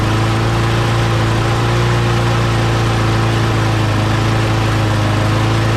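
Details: Mower engine after parts were blown out with compressed air and refitted, primed three times: steady even single-cylinder drone, constant low beat, no misses or surging; runs cleanly, though the primer still isn't priming.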